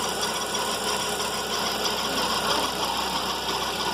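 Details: VW Fox at cold morning idle: a steady high-pitched whirring and rough hiss over the engine, from a worn accessory serpentine belt idler pulley bearing.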